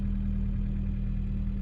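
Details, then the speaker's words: Vauxhall Astra mk3 GSI (phase 2) first start on new battery after long storage, low idle: steady deep rumble, no knocks or ticks, but oil pressure warning light stays on; owner suspects oil leak around a unit, oil pressure unverified. "we're in oil pressure light is on though that's never a good sign where's that oil level huh okay we started but I don't want to run it long with that light on"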